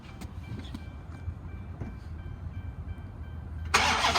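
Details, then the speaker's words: 2012 Dodge Charger PPV, 5.7 L V8, bad motor per shop notes (knocking noise), sat outside over six months, on jump box: faint, even starter cranking about three turns per second, never fires; cranks but no start. "i tried that several times i couldn't get it to start so it does turn over but it does not start"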